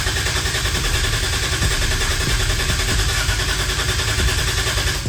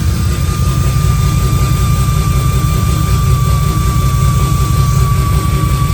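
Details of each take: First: 2JZ-GE VVTi big-turbo swap in MX83 Cressida, priming oil with injectors off before first start on Haltech ECU: brand-new starter and Optima battery crank steadily at about three and a half pulses per second, reaching 50 psi oil pressure; normal cranking. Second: 2JZ-GE VVTi with cheap T51 turbo in MX83 Cressida, first start on Haltech ECU: heavy, raspy six-cylinder idle with steady thin whistle from the turbo's open speed-sensor bung; turbo whistle from open speed sensor port.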